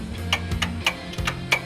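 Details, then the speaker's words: Key fob wireless controller for air-bagged suspension on rat rod dually, powered by temporary hot wire from fuse box: sharp relay clicks every quarter to third second, partly from dash switches; relays switching properly. "And listen for the clicks. Now, granted, part of that you're hearing is I'm working the dash switches, but"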